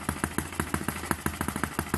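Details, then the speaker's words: Eachine ET8 horizontal four-stroke model engine after adding mass to smooth it out: even light puffs at about seven to eight per second with a steady beat and no stumbles, no dancing around: normal running. "He's running nice and steady now."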